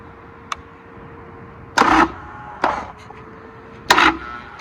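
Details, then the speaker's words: Motorcycle returning to service, trying to crank on a very low battery: short, feeble starter bursts that die away quickly; after charging, it turned over normally. "Yeah, she's kind of dead. Bump it up. You know it's real low when it's doing that."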